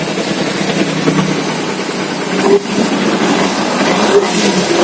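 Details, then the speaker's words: Kawasaki Z250 FI after repair of misfiring, black smoke, high fuel use and no idle; setting returned to 0.8: steady, even idle with one throttle blip that drops straight back to idle. Exhaust smoke now normal; engine runs healthy. "untuk respon mesin juga sudah bagus Langsung kembali langsem"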